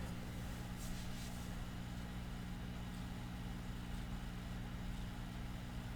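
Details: 1937 Philco 37-93 cathedral radio, unrestored, first power-up at about 90 V reduced voltage: a steady low hum with buzzy overtones as the speaker comes alive, with no speech or music; cause not confirmed.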